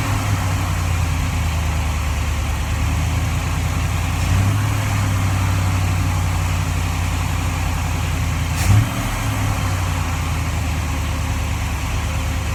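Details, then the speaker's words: 1947 Ford Tudor street rod, carbureted V8 with Holley carb: after adjusting the carb base screws, steady slightly high idle with two short throttle blips, no whistle or vacuum hiss; the whistle is fixed. "well it doesn't whistle anymore that was the main thing"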